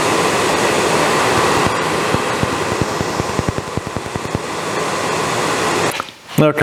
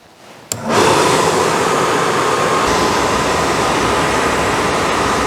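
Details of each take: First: Suburban RV furnace: gas valve opens and gas is smelled, steady blower rush with a loose run of faint clicks, about two a second, fading without catching; igniter fails to light the burner. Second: Suburban RV furnace on bench, powered by drill battery, after no-gas no-ignition fault: one sharp ignition click, then a steady, even roar without surging or cutting out; blue flame, burner lights and runs normally.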